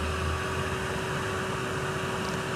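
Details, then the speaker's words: Kawasaki Ninja 250 SL stopped at the roadside: a steady whirring radiator fan hums over a quiet idle. The engine heats up quickly and the fan cuts in often, which is normal with no fault found. "Ternyata, alat ini memang cepat panas dan kipas radiatornya menyala, teman-teman."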